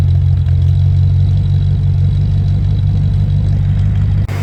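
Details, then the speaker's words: Land Rover Discovery 1 3.9 V8, first start in about eighteen months: deep, loud, booming idle rumble with an uneven burble and a known occasionally tapping lifter; it sounds so loud because the centre silencer is replaced by a delete pipe. "the reason it sounds like it does is because I've got the delete p"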